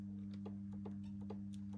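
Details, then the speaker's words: Tank turret control box relay from a spare unit: steady low electrical hum with faint light ticking. The relay is buzzing and working, but not fully pulling in. "generally yeah that does sound like it's working but not fully so if you have a listen in"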